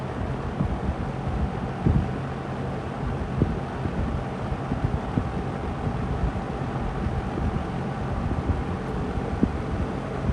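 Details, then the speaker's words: Lakewood P25 metal-blade fan, bought new around 2009-2010, barely used and never oiled, running in a window at high speed. An even rush of air with a low hum, no ticking, rubbing or wobble; healthy. "This is moving some serious air. Serious air."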